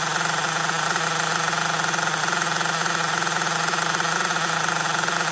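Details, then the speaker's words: LRP 32x Spec 4.1 nitro engine during idle-tank break-in in cold weather: fast slightly uneven buzzing burble, still running rich with much oil from the exhaust on tank two. "still running rich a lot of oil coming from the exhaust so attack number two still running rich"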